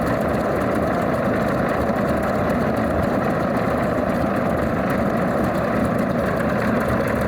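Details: Alvis Leonides Mk 25 radial engine in a Percival P.56 Provost trainer on a ground run: deep, even rumble with a steady loping beat and no misses or knocks, a settled, healthy normal idle.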